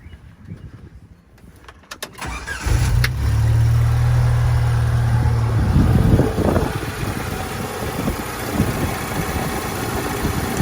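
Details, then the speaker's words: 1998 Jeep Wrangler 2.5L after power steering pump replacement reusing the old pulley, belt tensioned: brief crank, firm catch and an even, smooth idle with no whine or groan; earlier pump noise gone, no leaks. "Don't see any leaks, so that's great. Now we'll see. I don't hear any of the noise I was hearing, which is also great."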